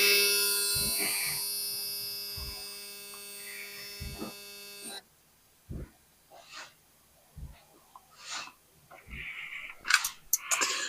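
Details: 86 hp car after fuel system work, key turned on: an even electric buzz for about five seconds that then cuts off cleanly, like the fuel pump priming; normal.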